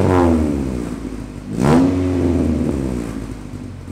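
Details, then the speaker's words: Straight-piped Honda after new sway bar bushings were installed: sharp throttle blip rises and falls cleanly over a loud, raspy idle, with no rattle or clatter after the rev; normal. "oh I'll give it a couple blips to the throttle and see if it rattles"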